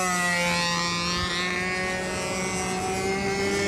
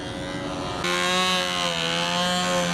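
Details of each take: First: Windy U Master 791 model aircraft two-stroke engine in flight: high buzzing scream that wavers and dips as the tank empties, detonating as it runs out of fuel. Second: New glow engine on a control-line model being ground run for about five minutes before flying; steady high-pitched buzz at constant high revs with no misses or surging, running clean.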